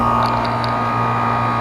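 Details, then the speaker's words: Outdoor AC condenser unit after replacing a bad dual capacitor; the condenser fan draws 1 amp of its 1.5 amp maximum; steady even hum with airflow, no screech or rattle; fan and compressor running normally. "so our fan motor is good the only problem with this with this system was just the bad doing capacitor"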